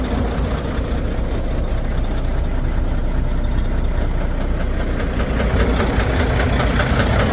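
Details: Volvo D13 diesel truck idling rough and lumpy with an uneven low knock about 2.5 per second: a misfire with low power from worn fuel injectors; injectors 5 and 6 found badly worn.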